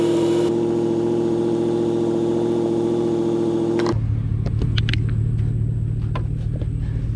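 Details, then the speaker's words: Abandoned 1991 wide-body 1.6L Mazda Miata on a weak borrowed battery with jumper cables: the starter grinds the engine slowly and unevenly, then drops to a low drone and turns too slowly to start; the owner wonders if it is locking up. "it almost sounds like like it's a time like it's locking up i don't know we're gonna wait till we've got enough juice to actually have a crank over though"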